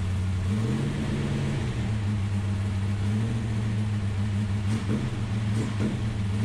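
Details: Ultima GTR V8 supercar sat 7 years unrun in a warehouse, cold, no coolant yet, oil pressure confirmed: smooth even drone rising in pitch with a brief rev and settling back, no knocks or misses; healthy engine.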